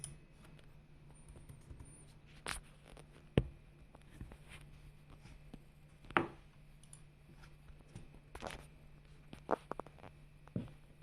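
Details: Laptop with no HDD, after start-up: scattered dry clicks and ticks every few seconds over faint steady hum, sounding like a working hard drive; source unknown.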